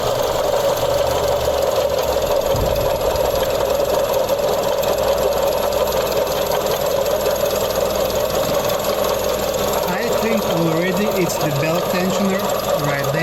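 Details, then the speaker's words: Mazda CX-30 engine running, a noise since starting that keeps getting louder; a constant dry, crispy rasp heard over idle via stethoscope, suspected belt tensioner. "this car has a weird noise when you crank the engine when you start your car and this noise is getting louder"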